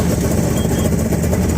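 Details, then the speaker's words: 1998 Yamaha WaveRunner GP1200 two-stroke, 125 hours, first start after engine installation and fixing a no-power, no-start, no-display fault: starts right up and settles into an even, steady low burble with no misses; owner suspects carb adjustment needed as high range drops out. "So I'll probably have to do some carb adjusting because it sounds like the high range is kind of going dropping out, but starts right up, which I'm pleased with."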